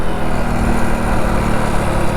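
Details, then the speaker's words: Motorcycle at about 40 km/h, downshifted from fourth to a lower gear that doesn't match the road speed: the engine labours with a low, straining drone, and the rider warns the clutch plate and gearbox could be damaged. Engine strain from wrong gear. "देखा एक gear कम करूँगा तो bike भाई पूरी रो जाती है।"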